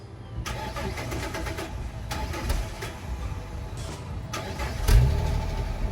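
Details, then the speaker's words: 2007 Dodge Magnum petrol engine with 141,000 original miles starting roughly: it cranks and catches unevenly, then settles into a lumpy, uneven idle; cause not confirmed. "you guys can see this car has a bit of a rough start after all this high mileage guys has uh 141 000 original miles"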